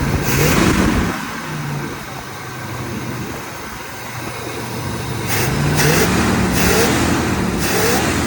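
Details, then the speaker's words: 1978 Chevrolet Corvette V8 test start with new battery, 50 psi oil pressure, warming up: steady, even idle settling lower with no tapping or knocking; slight blue smoke from oil burning off and valve cover gaskets leaking onto exhaust manifolds. "All right, it's starting to get warmed up and the idle is dropped."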